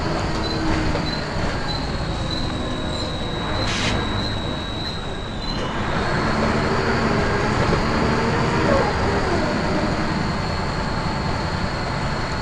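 Steady thin high squeal near 4 kHz rides over the bus's road and engine rumble while driving; source of the squeal isn't clear.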